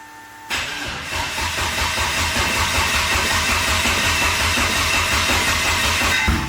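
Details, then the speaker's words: Mitsubishi Evo that jumped a few timing teeth after a hit at the track: the starter turns the engine over sluggishly at under three beats a second without catching because the battery is low, so a jump pack is needed. "whoa is that what it did last time yeah the battery's low let's get a jump pack on it"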